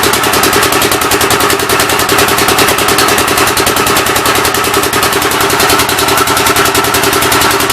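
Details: Rebuilt engine on its first start attempt, with temporary ignition and fuel fed by hand: steady firing at about three beats a second with sharp puffing chuffs. The intake valve seems to be leaking but not hanging open; the plan is to pull the head.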